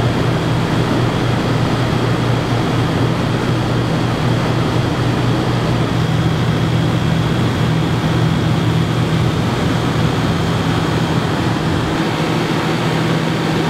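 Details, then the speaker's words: Yamaha generator running a bit above idle powering an RV air conditioner with Supco SPP6 hard start capacitor: constant drone at steady pitch with a faint high tone on top, no surging or bogging; normal running under load. "here's the Yamaha it's running a bit above idle not much above light"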